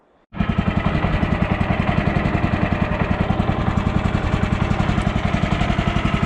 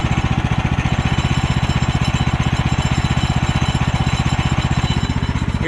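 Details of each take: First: Woodland Mills HM130 portable sawmill small petrol engine idling with steady even chug, no metallic pinging from the clutch (ping would indicate worn clutch); only slight door rattle. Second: Woodland Mills HM130 portable sawmill engine idling: fast, even thumping with a faint ping as the centrifugal clutch starts to engage; an idle set too high causes premature engagement and a worn clutch.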